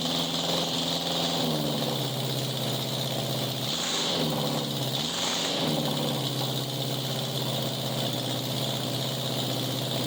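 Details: 1987 Honda Gold Wing GL1200 with electrical issues: intermittent cranking, exhaust backfire at key-off; carburetors semi good. Uneven, loping open-pipe idle that sags and picks back up a couple of times; rough running, cause unconfirmed.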